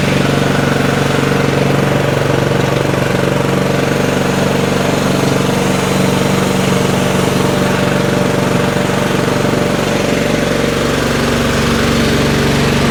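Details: Craftsman 30-inch riding mower after carburetor cleaned of green gunk and choke on: loud, steady single-cylinder chug at an even pace with no stumbling or dying; the engine runs properly.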